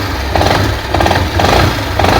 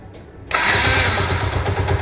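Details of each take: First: Yamaha SZ-R at idle, after clutch and engine work elsewhere: rough repeating clatter, about one or two knocks a second, over the engine beat from the clutch housing (right-hand cover) side; engine knocking noise. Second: Yamaha SZ-R after repair of an engine noise problem, oil refilled: engine catches at once and settles to a steady, even idle with no tapping or knocking; normal start after repair.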